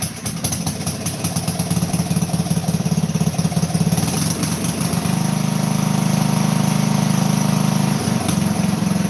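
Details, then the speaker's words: 12 hp MTD garden tractor engine, sometimes slow to start: cranks, catches and settles into a steady even single-cylinder putter about three beats a second; normal idle. "This is the little 12 horsepower MTV right now that's starting. Takes a while sometimes,"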